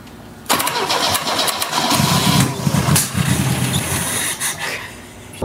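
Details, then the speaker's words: 1970 Opel GT barn find, unrun about 30 years, just after swapping in a Weber DGEV manual-choke carb: cranks about five seconds with uneven chuffing but never runs. Owner suspects too much gas was put in. "well i probably put a little too much gas in there i was wondering if that happened"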